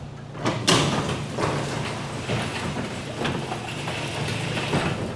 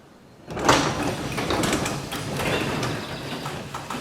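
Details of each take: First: Garage door number two lifted manually with the opener released after hinge and spring maintenance: even rolling rumble, a couple of soft thumps, no hinge squeaks or creaks; normal quiet operation. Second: Garage door lowered after lubricating hinges and spring pulleys: steady rumble with a faint dry creak, traced to one hinge that then got more lubricant spray.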